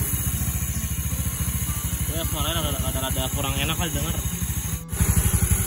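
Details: Restored Yamaha Mio Nouvo scooter at idle with the front cover open; a fine rattle rides on the firing beat, fades when revved and returns as revs drop, from a noisy one-way starter clutch that quiets a little with lubricant.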